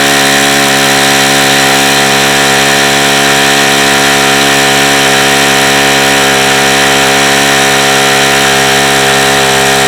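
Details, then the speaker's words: Saito FA-45 original-version ringless ABC model four-stroke, hot, at full throttle with no throttle stop: steady high-pitched buzzing roar, even tone; tired engine, front bearing badly worn, oil seepage possibly from the front hub. "it could be coming from this front hub cuz the bearing is so shot on it"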